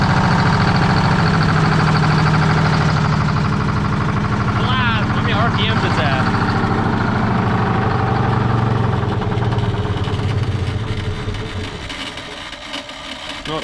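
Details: 1973 Freightliner cabover diesel, restarted on 24 volts, RPM gauge dead: fast, slightly uneven chugging at about three firing pulses a second, then fading off. Rough idle.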